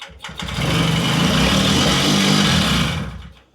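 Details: Puch Maxi two-stroke moped on its original spark plug, choke on after a couple of tickles: catches, buzzes unevenly for a few seconds, then dies; hard starting, cause not yet clear.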